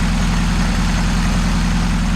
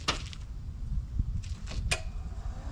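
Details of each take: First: Saab Sonett III, after engine reinstall and reconnecting all plug wires, with the timing set right: smooth, deep, even idle with steady low hum, no misses or knocks; running properly. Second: Saab Sonett with engine just reinstalled after an oil pan gasket job: short scattered cranking bursts, then it suddenly catches and roars. The rotor was found 180 degrees off on the distributor, set from TDC.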